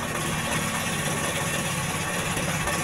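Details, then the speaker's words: Jarwo Crown rice transplanter small petrol engine, hard to start: dull, uneven limping idle with heavy black exhaust smoke and no high revs, caused by too much fuel from the carburetor. "di situ bisa kita lihat asap yang ada pada knalpot itu sangat luar biasa yang bertanda bensin itu berlebihan masuk ke bagian karburator"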